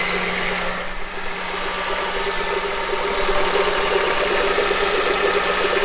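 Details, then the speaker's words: 2007 Honda CR-V engine idling with a loose, regular knock about three per second radiating up through the top of the engine; cause was a bad AC compressor clutch, later replaced. "so as you can hear that was more of a knocking noise and I actually changed that air compressor clutch with one that I bought off of eBay"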